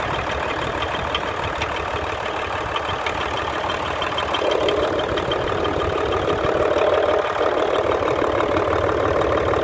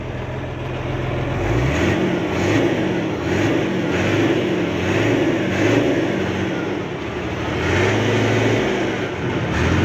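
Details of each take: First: Hino Euro J08C six-cylinder truck diesel at idle with a regular light knock, about three per second, coming from the air compressor side; the noise drops somewhat when a hand is pressed on the part. Air compressor connecting rod knock. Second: Hino Euro J08C six-cylinder truck diesel revved with accelerator presses after air-compressor fault repair; climbs and settles smoothly, no rattle or knock left, noise cleared.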